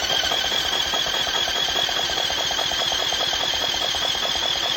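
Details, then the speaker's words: 1980s Yamaha 225DX Tri-Moto three-wheeler, engine freed with penetrating oil in cylinder after sitting, on initial inspection: starter churns steadily at about 2.5 pulses per second with even beat; compression is now good and compression valve seems to work. "That sounds good. Oh yeah. Oh, she's got compression now, huh?"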